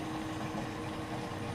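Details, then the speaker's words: Custom-built in-tank EFI fuel pump sending unit with filter sock for a 1978 LS-swapped El Camino: quiet, even electric hum with light liquid trickle as a steady fuel stream flows through a homemade valve in the bowl bottom; normal fuel pump operation. "that's a steady stream of fuel and like I said that's coming through that on that valve I made in the bottom of that bowl"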